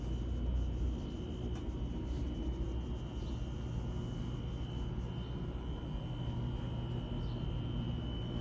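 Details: Garage door with rollers fitted with boba straw and tie wire to reduce rattle: low steady rumble as door travels, faint motor hum, no loud roller rattle; quiet operation.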